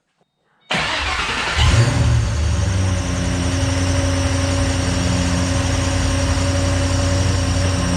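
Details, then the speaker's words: 2008 Ford Mustang GT500 with an overheating problem, engine started and idling after a cooling system refill with distilled water: a steady airy whoosh over the even idle shows the electric radiator fan running normally. "oh yeah fans are going or fan is going"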